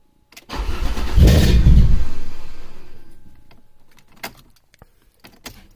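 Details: Alfa Romeo 2.5 V6: short crank, catches and roars briefly, then dies within two seconds; caused by intake runners not tightened to the cylinder head, fixed by tightening them; start and stall from intake vacuum leak.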